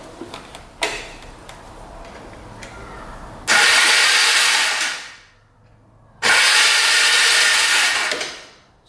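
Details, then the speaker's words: Polaris Magnum 325 4x4 ATV with the starter solenoid jumped manually: two strong, even two-second bursts of the starter spinning freely. No power was reaching the solenoid, and the fault was traced to the ignition switch. Normal starter cranking. "starter is working if you jump the solenoid so we're not getting power to the solenoid"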